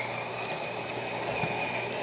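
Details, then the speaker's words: Jura Z6 espresso machine after grinder repair: steady high motor whir with gritty bean crunch on medium grind setting, brewing unit pressurizing; previously ground briefly then gave false no-beans error. "as you can hear definitely beans are getting grinded the the bre unit is pressurizing and we are having espresso coming out from the spouts"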